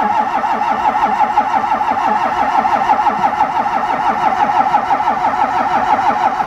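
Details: Cold crank-no-start of a diesel in chilly temperature: starter churns in even pulses, about three per second, never catching; leaking o-ring on the fuel filter housing, block heater not plugged in, and 15-40 oil make it hard to start; intake air heater mentioned.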